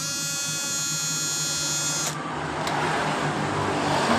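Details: Yamaha Mio Soul GT injection scooter that stalls over bumps, IC socket opened: high electric fuel pump buzz for about two seconds at key-on then clean cutoff, priming normally this time; pump sometimes silent at key-on.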